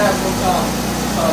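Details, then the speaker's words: 2008 Chevy HHR, 2.4 Ecotec block with 2.2 head replacement engine, after reassembly and repairs: low steady idle hum, no misses, ticks or hunting, briefly revved; runs smooth and even, normal idle. "you got another one coming like it's running pretty smooth rev it a little bit without"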